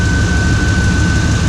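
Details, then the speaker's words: 1995 Chevrolet Suburban K2500 5.7 TBI after its water pump replacement: a steady high whistle holding one pitch over an even idle rumble; the owner guesses it is the intake. Whistle at idle. "it's whistling I think it's gonna explode I like maybe intake my intake whistle it wants to be turbo dreams"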